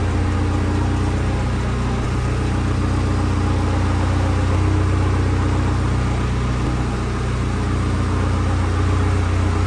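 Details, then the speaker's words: 2022 Vanderhall Venice GTS after engine rebuild, oil topped to half dipstick, first drive in garage testing transmission: smooth steady low drone, no clunks or grinding pulling away; transmission engages cleanly. "runs first little Drive in the garage now we just got to wait for that radiator support"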